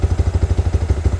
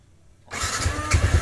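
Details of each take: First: Motorcycle single with a Juken 5 ECU, idle restarted after the base map value was set back to 2.64; even, regular low thumps at about eleven per second, steady with no stumbling or misses; idle back to normal. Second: Motorcycle on Juken 5 ECU, base map set leaner (to 2) while tuning idle: starter cranks with even chugs near 3.5 per second for about six seconds but it never catches; too little fuel, no-start from lean base map.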